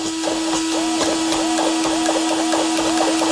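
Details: Hobao SSTe RC car, steering servo test during first electronics checks after installation: crisp, even whirs about four times a second over a steady tone, sweeping cleanly each way; servo working properly.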